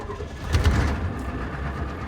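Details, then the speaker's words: Ford IDI 7.3/6.9 diesel truck, about 282k miles, cold start with pedal pressed once, electric fuel pump, temperature-sensor solenoid raising idle until warm: brief crank, catches and settles into even clatter within a second — normal cold start. "Let go of the pedal, she starts."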